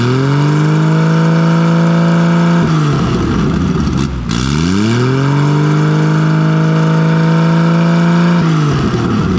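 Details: Nissan RB20 drift car after cylinder 5 no-compression repair; a faulty lifter had let the intake valve sit low. Loud, raw six-cylinder idle, smooth and even, with two quick revs climbing and falling cleanly, no stumbling. Normal idle and revving.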